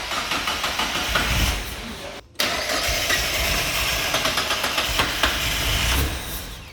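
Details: Mazda MX5 track car on a Megasquirt running alpha-N with no base map, first key turn: quick starter churn, a pause, then a few ragged firing pulses that fade away. Engine fires briefly then dies.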